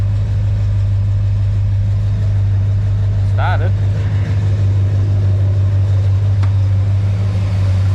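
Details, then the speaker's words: Chevy 350 small block cold start after shimming mini starter and reconnecting solenoid wire at bell housing bolt: steady low idle, no chatter or clatter; earlier noise seems gone. Owner suspects starter alignment, earlier suspected cracked ring gear. "started is it my imagination or is it not as chattering when it was a bit quieter when it was cold so might definitely it's definitely not chattery like it was"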